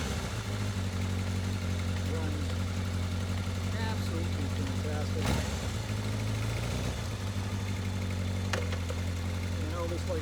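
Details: Newly restored 1983 Kawasaki KZ750 Spectre four-cylinder, 42 years old, after carburetor work, idles steady and even with a smooth low beat, no misses, knocks or hunting; running sweetly, humid day.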